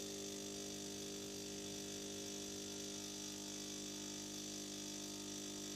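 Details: After repair, the fixed espresso machine brews a double espresso from beans in the hopper with a steady buzzing pump hum of constant pitch, no grinding or straining: a normal brewing cycle.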